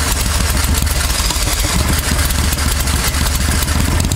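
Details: 1992 Club Car golf cart with a V-twin Briggs swap, first fire-up after sitting about 6 months and a secondary clutch replacement. After long cranking it fires, stumbles, then runs unevenly and clattery but keeps running: hard starting.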